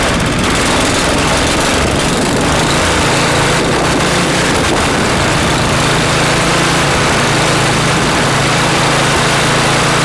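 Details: Customer snowblower after cleanup and reassembly: small single-cylinder engine settles into steady even running after a ragged start, no surging or hunting; healthy.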